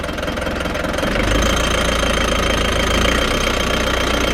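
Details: Frankia A595 motorhome with a Nissan diesel, abandoned 12 years, started after the fuel filter was installed properly: fast, even diesel clatter at idle with a steady rhythm and no misses, a bit of smoke, oil pressure present.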